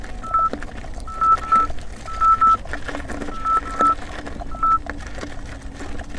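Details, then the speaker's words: 84 V Nikola electric unicycle climbing a first small hill: short high beeps singly and in pairs, about eight in six seconds as load rises, the 90 A overcurrent warning; unusual vibration felt. MOSFETs later blew. "every time you hear that that means there's ninety ninety amps as being pulsed through the motor and it's it's being stressed"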